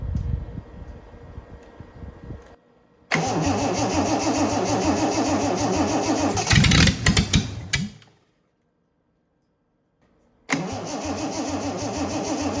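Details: Freshly rebuilt Triumph TR6 six, head shaved 60 thou (about 8.4–8.5:1 compression), first start cold on choke with carbs unadjusted: catches and holds a fast idle with an uneven, lumpy beat, stalls and restarts; rough cold running.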